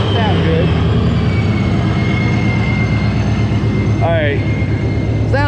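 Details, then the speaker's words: 2021 Mustang GT V8, warmed up, Vortech V3 JT-trim supercharger with Heritage gears: steady idle rumble with thin constant high whine on top, healthy but very loud compared to the quiet gear version. "That is very, very loud compared to the quiet version. So if you want the heritage gears, there you go. It'll be a lot louder."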